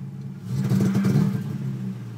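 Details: Nissan 350Z runs fine until reaching operating temperature, then misfires at warm idle with an uneven, stumbling rumble that briefly surges; check engine light on after earlier starting without intake fitted.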